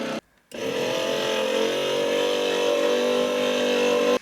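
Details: Porsche 928 power window motor after door repair work: a steady whirring hum with a faint higher whine for about four seconds while the glass moves; still noisy but less than before.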